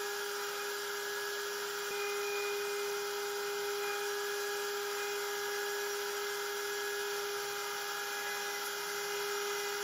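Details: Genmitsu 3030 PROVer Max desktop CNC with 1.25HP Makita router instead of stock 300W spindle, pocketing aluminium: steady clean high-pitched tone, no chatter or wavering; smooth, rigid, vibration-free cut, near-mirror finish, square 19.97 mm.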